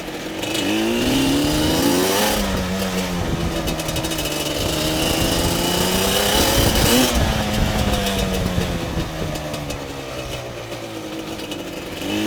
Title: weird noise